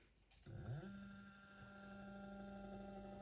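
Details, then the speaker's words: Stepper motor driven by an older A4988 driver module from an ESP8266, tweezers gripping the shaft: steady buzzy hum near 200 Hz with faint whine, like an old printer or scanner stepper. "So, they they drive a stepper motor and it sounds like a stepper motor like you're used to in a like an old school printer or a scanner. You can kind of hear that buzzing."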